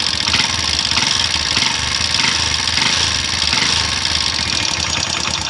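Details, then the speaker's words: Hero Honda CD100 SS single-cylinder at idle and revving: sharp fast metallic ticking that quickens with revs, valve tappet noise from loose valves with excessive clearance, before adjustment. "இப்போ rice பண்ணும்போது பார்த்தீங்கன்னா valve sound நல்லா கட்டு அடிக்குங்களா, அதுதான் problem. அதுக்கு என்ன ப்ராப்ளம்னா ரொம்ப லூஸாக இருக்கும் வால்வு."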